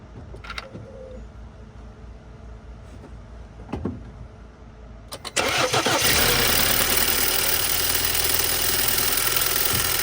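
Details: 2014 BMW X3 N20 cold start: high idle with a loud, harsh metallic rattle from a loose wastegate actuator arm, fading as revs drop; drivetrain malfunction message shown, owner hoped it wasn't the timing chain.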